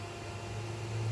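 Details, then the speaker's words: Costway 54 qt 12 V chest fridge/freezer, about 15 minutes after start, down to 23 degrees: low steady compressor hum with faint fan hiss, no rattles; very light noise, quiet healthy running. "I'll let you listen to it can you hear that just makes a very light noise"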